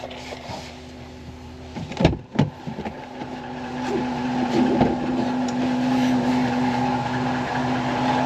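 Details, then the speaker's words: 2017 Ram 1500 4th gen air suspension compressor refilling the system after a leak: steady hollow whine with rough grinding, munching and whistling undertone; sounds strained and worn, owner plans to replace it. "I mean the compressor sounds like crap you can hear it munching away and whistling"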